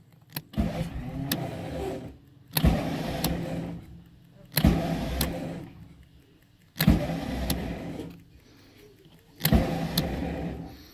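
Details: RV onboard generator, after filling the carburetor with fuel; five short cranking bursts about two seconds apart that grind briefly and stop, engine never catches; owner suspects a dead starter.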